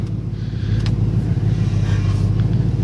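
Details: 1995 Ford Mustang 5.0 V8, first start after sitting about four to five months, using a booster pack: a deep, even burble at idle with a steady low pulse and no knocking or ticking. Normal idle.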